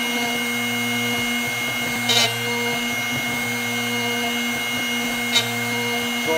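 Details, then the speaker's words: Drill Doctor 750x sharpening a drill bit near the end of the process: steady motor hum with just two brief light scrapes from the wheel. Only slight contact remains, so the bit is nearly sharpened. "basically here at the end and you'll hear very little grinding sounds"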